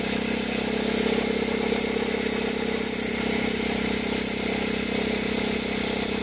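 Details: 2003 Toyota Corolla, started cold: a loud, fairly steady whirring rattle rides over the idle and comes and goes, appearing on engaging reverse. The noise occurs only when cold and stops as the engine warms.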